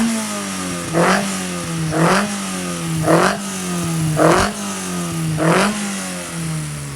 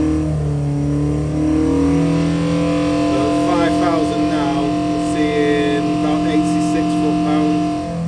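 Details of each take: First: Freshly built 1120cc engine with a small big-end pin, running before its dyno run: five crisp throttle blips about a second apart, revs rising and dropping cleanly with no clicks or knocks; picks up well. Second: 1120cc engine with 12:1 compression on the dyno, held near 5000 rpm: a steady, high howl with a rough buzzing edge. Exhaust vibration noise, thought to be the silencers vibrating.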